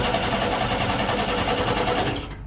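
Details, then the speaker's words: 1988 Chevrolet S10 Sport ZQ8, sitting since 1994, with plugs in and gas sprayed down the throttle body: steady rapid cranking that never fires. It has oil pressure, but the in-tank fuel pump isn't coming on, so it cranks without starting. "I'm guessing this thing needs to see fuel pressure or something like that it has oil pressure the intank pump definitely isn't coming on"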